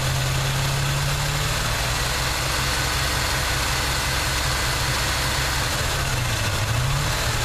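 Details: 1979 Chevy truck, 350 V8 with automatic choke: steady idle with a lumpy, uneven exhaust beat that stumbles now and then. Plugs are clean and unfouled and compression is sound. The idle misfire's cause is still unknown.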